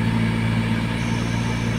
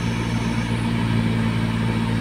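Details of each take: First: Car AC blower motor after cleaning; noise on speed four occurred only with vents closed: with air vents open, steady even low hum, no whistle, flutter or rattle; blower running normally. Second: Car AC blower motor, already cleaned: steady low hum with a thin whistle over the engine appears when the vents are closed and stops when opened; just restricted airflow, no fault.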